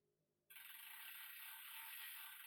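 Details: Bicycle (Trek or Planet X) with skipping gears, checked on the stand: a fast, even freewheel buzz as the cranks turn past the bottom bracket, with no grinding or knocking; the drivetrain sounds healthy.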